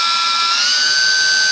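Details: E-flite UMX P-51D BL brushless motor after a 3S battery power mod, bench throttle test with rising throttle; loud high whine stepping up with throttle, smooth and even, a normal healthy run-up.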